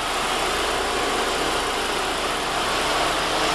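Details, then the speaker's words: 2006 VW GLI FSI turbo after replacing carbon-fouled injectors that caused multiple misfires on cylinders 2 and 3: steady, even idle with no stumbles, no codes and no check engine light. "nice and smooth that's a good sign no codes no check engine light vehicles running very smooth customers should be very happy"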